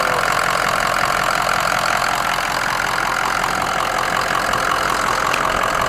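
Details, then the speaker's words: Shop work truck, standpipes changed in October 2020: even, steady idle with a regular beat around three per second and no misses, knocks or hunting; running perfect. "this was made in 1292 and it's still running perfect after changing the standpipes in it we did my dad did that and was october of 2020 sounds perfect bro"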